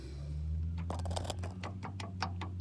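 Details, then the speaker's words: Chevy C10 steering-column shift lever worked back and forth: sharp irregular clicks over low hum; a notch worn into the lever stops contact with the column electrical switch; to be disassembled and welded. "There's a notch that has wore itself into the shifting lever. And that's just enough for it not to stay in contact with that, you see it?"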